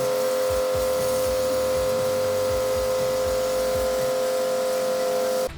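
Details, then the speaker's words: Kodenki KDK-8120V jet cleaner (pressure washer) motor, drawing 1800+: loud, steady electric drone with hard fixed hum, straining sound, then abrupt cut-out after five seconds as the breaker trips; cause unknown. "H ini kedengaran suara kayak ngeden itunya si 1800 lebih itu."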